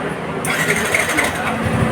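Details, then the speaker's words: Yamaha New Vixion with a no-start, cranked with a jumper ground wire: starts quickly and settles into a steady even idle, proving the red-black wire is broken along the harness. "Motor bisa bunyi teman-teman ya. Nah, motor bisa bunyi berarti kabel masa ini, yang ini kabel merah leres hitam ini berarti putus di jalan ya teman-teman."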